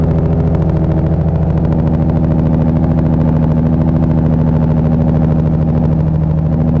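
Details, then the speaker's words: Nissan Skyline R33, big turbo, fresh build, OEM crank and VVT cams, new ECU, warmed-up idle; steady even smooth low rumble, no misses, knocks or hunting. Normal idle. "how does this sound i think it sounds pretty dang good but let me know down below"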